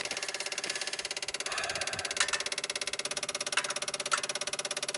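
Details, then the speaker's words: 1995 Dodge Ram V10 cold no-start, key on, engine off: fast, steady crisp clicking of ASD and fuel pump relays, growing louder as PCM warms; PCM 8-volt supply noisy around six volts, 5-volt reference fine; bad PCM suspected. "see how it's trying to pull the uh the control side trying to ground it and the relays are clicking louder and louder that's getting better and better"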